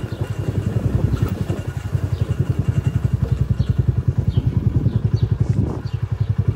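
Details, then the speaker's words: Kuba CG 100 R Gold small single-cylinder motorcycle pulling away: a fast, even chuff with a loose clatter behind it; the rider hears noise from the rear nuts, cause unclear. "arka fındıklardan ses geliyor O da böyle bir kalkış süre çıksam geçecek de"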